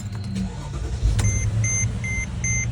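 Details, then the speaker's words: 2007 Mercedes GL450 V8 after fixing cylinder eight misfire (bad ECU replaced, then a not-fully-connected injector connector reconnected): starts and settles into smooth even idle with steady chime; runs clean. "We're looking good. And it feels good."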